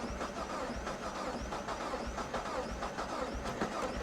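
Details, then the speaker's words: Copart salvage Pontiac G5 GT listed as a non-runner with no coolant and an empty fuel gauge: steady cranking with a slightly irregular beat and no firing; crank no-start, uneven compression and a blown head gasket suspected, or simply out of gas. "when you hear it cranking though does it not sound like uneven compression i don't know"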